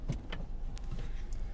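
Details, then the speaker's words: 2015–2016 Kia Sorento GDI, check engine light flashing, random misfire P0300, no stored code, power loss: idles just after starting with low, uneven rumble and irregular thumps; live data shows cylinder 4 misfiring at idle. "Miren ahí, ahí está fallando. Miren ahí ya comenzó a fallar. Si vieron ahí el conteo en el counter, ese está fallando ese cilindro."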